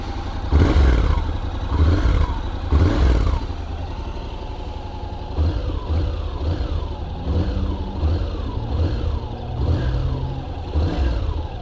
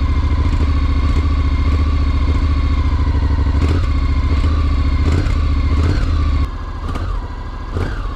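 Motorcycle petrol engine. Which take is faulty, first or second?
second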